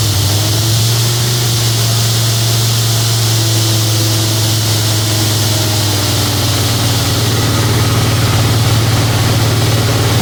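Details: A big-block Chevy C10 truck is started cold in winter after sitting about three weeks, with some water seen around the neck. The cold idle is lumpy and uneven, beating about three times a second instead of humming smoothly: a cold-start misfire.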